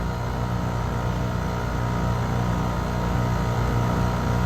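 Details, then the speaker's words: 2017 Weatherking air conditioner with a badly frozen suction line and compressor: a steady, low compressor hum with an uneven, weird throb about three times a second. Appears low on refrigerant charge. "let's take a minute to listen to the sound of the compressor how weird it sounds"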